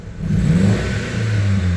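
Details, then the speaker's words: Gen 1 Mitsubishi Eclipse revved with a deep rumble that stumbles at low rpm, a hesitation worse in gear under load; new plugs and wires, all coils sparking, plug gaps verified; fuel pressure to be checked next. "So, you hear it some revving like it's got that hesitation at the lower RPMs"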